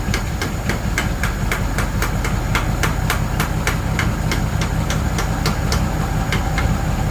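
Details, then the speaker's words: 1936 Ford 1½-ton truck, 8BA flathead V8, Stromberg carburetor with a replacement valve instead of the needle and seat: rough, uneven idle with sharp raps about three a second as the carb is beaten on; carburetor leaking over, flooding and running rich. "oh man carburator is not happy again this doesn't have a needle and Seed in it anymore cuz I had so much trouble with it"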